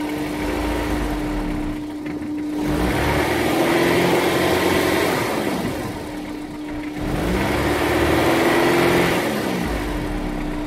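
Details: Honda S2000, 5 minutes after a cold start, revved twice with a quick regular tapping underneath; suspected rod knock. The check engine light is from a sports cat, and revs drop after a blip due to a faulty idle air control valve.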